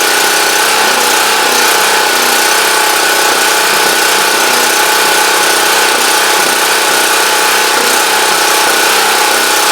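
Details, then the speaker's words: Champion Dual Fuel 3500 W generator after carburetor cleaning fixed a no-start, started on full choke; steady fast-firing hum with a slightly uneven beat, no knocks or grinding, called a success though possibly a bit rough as usual. "okay so I'm gonna call that a success I think um you know I'm not sure if it's if it's running rough it's if it but that's always kind of how this thing sounds"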